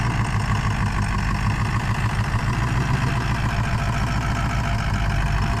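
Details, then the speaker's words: Ford Powerstroke diesel pickup, rust-free California truck that barely runs and smokes a little: lumpy idle with an uneven, limping low thump, obviously down a cylinder; a weak or dead cylinder is suspected, not confirmed. "definitely got a weak weak cylinder that hole we should shut it off and just crank it see if it sounds like a dead one"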